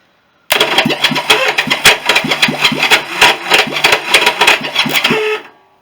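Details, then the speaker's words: Honda CB350 turned over for the first time after a rebuild, during a compression test (120–140 psi). Harsh, uneven screeching and chattering over the cranking starter, about three bursts a second: the starter clutch slips from weak springs. "You can hear it, that horrible screech noise. That is the starter."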